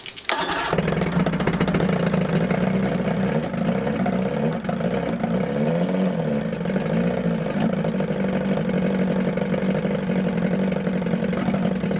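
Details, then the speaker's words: 1978 Evinrude 115 hp outboard revived: catches and runs with an uneven, wavering drone that surges and dips; running rough, timing suspected off, unconfirmed. "almost sounds like the timings off and so it runs but it's almost like it's fighting"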